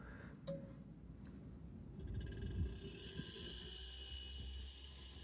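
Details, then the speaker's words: KitchenAid built-in fridge KSSO48FMX01 (not cooling) after fitting a replacement inverter board: a low hum rises and settles into a steady drone as the variable-speed compressor and condenser fan start together; normal, healthy compressor start. "you hear that noise the compressor just started the condenser fan motor and compressor starts at the same time it goes in different variable speeds and you can hear it"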